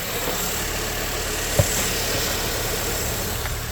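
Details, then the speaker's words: Barn-find Mini, sat over a year, idling after spray applied onto the belt pulleys: squeal instantly improved, even steady idle with one brief click; engine reached temperature unusually quickly, within three or four minutes. "that has instantly improved that sound let's let it run for a bit and see what happens"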